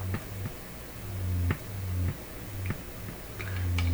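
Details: Canadian PYE Model 39HC radio with a missing capacitor added: low putt-putt thumps about every half second, steady and taking up almost all volume control travel; classic motorboating oscillation, cause still unknown.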